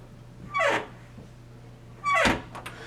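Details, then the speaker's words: 30-year-old bathroom door in high humidity gives two short, whining squeaks as it swings. "This is older door, older hinge, located in the bathroom with lots of humidity, and of course it started squeaking from the small movement."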